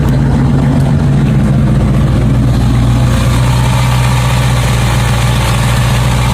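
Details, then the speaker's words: Small-block Chevy V8 in a 4-stud Camaro, just after fuel pump replacement following bad fuel, inline filter, 6 psi fuel pressure; deep steady burble with even firing beat, no misses or ticks, running nicer; normal idle. "Running now. As I showed you, I'll stuck over here, you can't hear. So that's the running 6 psi. She seems to be running a lot nicer on the tune now."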